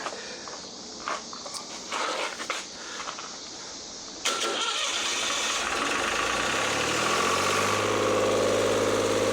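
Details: Lister ST3 diesel generator after new starter, voltage regulator, air and fuel filters, fuel pump and plumbing, fresh oil: clicks during preparation, then catches quickly and settles into an even, steady run; sounds healthy.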